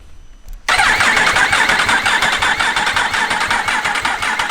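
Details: Yamaha R1 race-bike rebuild, fresh engine with no fuel tank, in neutral: steady starter cranking at close to three pulses a second that never catches, spinning it over to build oil pressure.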